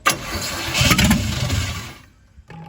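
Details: C50 project truck, first start with a little gas poured in and no gas pedal hooked up, kids cranking: short crank, then it catches and settles into an even idle. Normal start, with some smoke from one side, possibly rings needing to seal.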